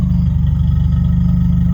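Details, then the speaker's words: Honda with a swapped all-motor F23A, after a no-start was fixed by replacing the main relay. It now fires up every time and settles into a deep, even idle with no misses, ticks or knocks. Normal idle. "But nonetheless, we changed it out in this one, and now it is firing up every time on the money. So I think we might be in business. She is purring, man."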